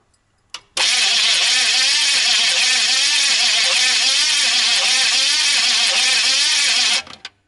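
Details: GMC Vandura van after rerouting the positive cable: strong, even cranking with steady rhythm, no clicking or dragging; starter turns the engine over normally.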